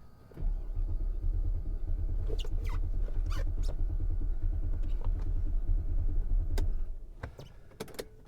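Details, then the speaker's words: Copart auction car, first start attempt after transport: starter cranks steadily for about six seconds with even low churn but never catches; no fuel pumps heard, owner suspects fuel pump; crank no start. "oh please start please start please start she's not starting is this is this another fuel pump issue i bet it is i bet it is"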